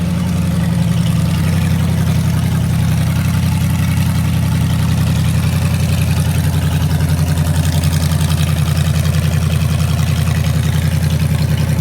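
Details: Junkyard 2009 Dodge 5.7 Hemi (80K miles) with Hotwire harness and 2009 Challenger PCM, first startup on run stand after oil priming, return-style fuel rails; fires at once into a deep, steady, even idle, no knocks or misses; normal idle.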